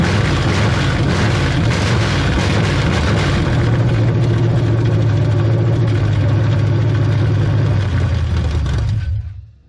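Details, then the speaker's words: 1970 GMC V8 reassembled after years out of the truck, run briefly with no cooling system while the fuel pump is suspected of not delivering fuel: a deep, steady, even rumble with no ticking or knocking until switched off; sounds healthy. "but she's fire and she's running and she sounded pretty healthy"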